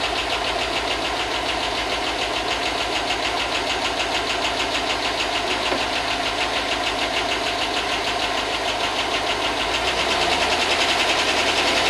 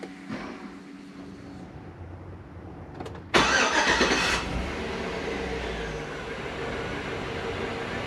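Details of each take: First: 2005 Chevy Tahoe 5.3 LS V8 that hadn't run in a long time, running after a no-spark fix: a sharp, regular top-end tick about three per second at idle. The owner hopes the lifters pump up. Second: 2005 Chevy Tahoe 5.3 LS V8, previous no-spark fixed by repairing a bad ground: quiet cranking, then clean catch and steady, even idle with no misses or knocks; good oil pressure, charging, no overheating.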